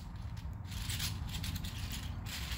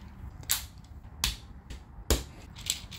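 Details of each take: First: 3D-printed Pinnacle gear sphere, turned by hand: light gears patter and tick freely with no binding; same print but far looser than the stiff one. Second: 3D-printed Pinnacle gear sphere in silk PLA, turned by hand: plastic gears click and ratchet unevenly, catching where a stiff gear binds; non-adjustable print.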